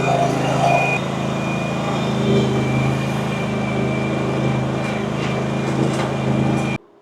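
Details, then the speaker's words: RedMax CZT54X zero-turn mower, previously cutting out under throttle, after intake removal and repair work: a steady, even full-throttle drone with no surging or cutting out until shut off. Now running normally. "Does seem to be running a little healthier. Let's see what happens if I give it some gas. So, before it was like cutting out. Sounds good to me."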